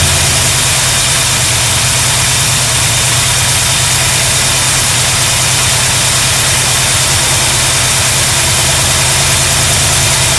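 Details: 1972 GMC Sierra Grande with newly installed replacement V8: settles into a smooth, even idle, steady low rumble, no knocks or misses; healthy.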